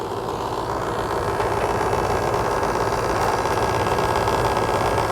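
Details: Outdoor AC condenser unit, customer complaint not cooling and loud noise, restarted after checking capacitor terminals; condenser coil very dirty: steady, unbroken whirring hum from compressor and fan; running normally.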